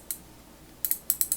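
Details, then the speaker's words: Vintage Proto Challenger 1260C 3/8" drive ratchet, New Britain design, as found and apparently never serviced, with dirt, grease and grime inside: fast light clicks in uneven bursts that turn dull and muffled at certain positions; dirty grease damping the pawl. "And if you are ratcheting, you can hear how muffled it is when it gets to certain"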